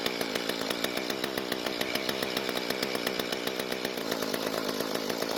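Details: Mantis two-stroke tiller left unused for a long time, with a carburetor damaged by sitting, after carb cleaning and reinstall, running on conventional mixed fuel. Crisp, even buzz with steady rapid firing, no stumbling or surging: running cleanly.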